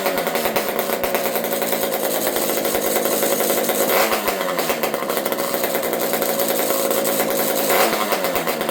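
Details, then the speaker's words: Old Partner P42 chainsaw fitted with a homemade expansion pipe, started with choke: a small two-stroke screaming at high revs with a raspy, slightly uneven note. The owner suspects the carb is a little lean or has an air leak and adjusts the low jet. "Sounds good to me."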